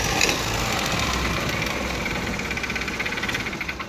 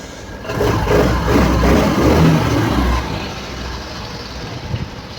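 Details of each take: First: TVS Scooty Pep engine run after oil ran completely out: harsh, fast, clattery tractor-like knock over rough running; piston seizure with scored piston and bore, engine to be opened and piston and valve guides replaced. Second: TVS Scooty Pep scooter after engine rebuild with new bore kit, piston and timing set, previously noisy after running out of oil; starts with a short rev then settles into a smooth, even idle, no knock or rattle, normal idle.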